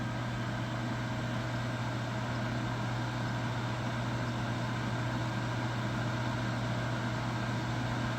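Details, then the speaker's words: Master radiant heater, used, running on diesel: steady, even burner roar with constant low hum, no surging or sputter, flame smooth and even; normal running. "this one seems like it has even flame even on diesel"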